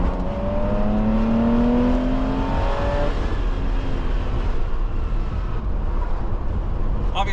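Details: Jaguar E-Type roadster after costly repairs: the engine pulls cleanly through a smooth rising rev, then settles into a deep, even drone under way with no knocking or misfire.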